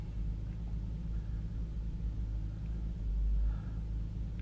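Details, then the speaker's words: 1992-1996 Lexus SC300/SC400 just after ECU install or battery reconnect: low idle rumble with a slightly uneven pulse; fuel trims were cleared and the ECU is relearning, expected to stabilize after a few minutes. "this is basically your ECU has to relearn the vehicle um you're clearing out the the memory of the ECU the the fuel Trims and everything else and after a few minutes it should stabilize start running"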